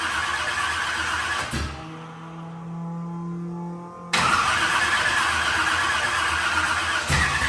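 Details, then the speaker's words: Carbureted burnout truck being rebuilt for a competition, with timing possibly still slightly off. It cranks, catches and sputters into an uneven, lumpy run, starving for fuel. The owners conclude it is a carburetor fuel delivery issue, with fuel not spraying from the front of the carburetor. "It's not spraying fuel out of the front bowl, or out the front squirter. I mean, but it's definitely a fuel issue. Not saying that the timing's not still off a little bit, but it's definitely a fuel issue."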